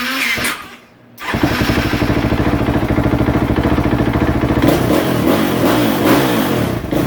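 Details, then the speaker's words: 2015 KTM 450 SXF after adjusting the yellow cold start knob and lowering idle on the red knob, cold start off: catches after a short crank and settles into a quick, even thump; starting issue fixed. "I'm going to say the starting issues fixed I have seen them yellow knobs when they're not adjusted properly these bikes will be a pain in the butt to start"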